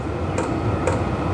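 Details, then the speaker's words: Vevor portable diesel heater running on the low setting, blowing hot air: sharp, even fuel-pump ticks about twice a second over a low fan hum. The owner worries the ticking could disturb sleep, but the pump is working normally. "my only concern is that tick tick tick I reckon that'll piss you like it once you get to sleep"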